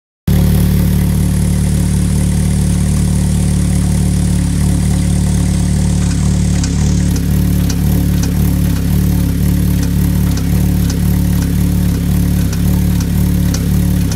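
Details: Vauxhall VX220 / Opel Speedster with Z22SE petrol engine at idle: deep steady drone with sharp knocks about once a second; strange knocking noise, cause unknown.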